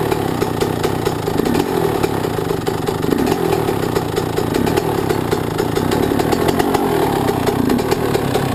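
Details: Yamaha YZ125 two-stroke, either the 2001 at its first start after a rebuild with a new Wiseco piston kit or the freshly rebuilt 1999; steady crisp burble at fast idle, even and unbroken, no knocks or rattles — normal idle.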